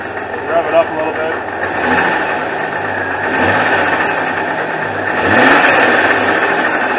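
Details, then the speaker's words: 2001 Jeep Cherokee Sport six-cylinder at idle: light rhythmic rod-knock-like sound from the front accessory drive, traced to a loose, failing power steering pump; belt also chirped at idle. "anyway it almost sounds like a rash noggin it almost sounds like a rat's knocking"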